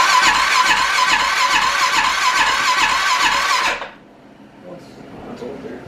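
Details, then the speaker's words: Rebuilt wrecked Arctic Cat 650 H1 ATV at first start attempt: steady rapid starter churning with no firing or catch, then it stops. Fuel present, ignition module suspected; no spark later traced to a bad flywheel. "it will crank but not uh we got fuel in the car there so that's good trying to chip it off a little bit i think we got fuel we've got spark not sure could have a bad ignition module"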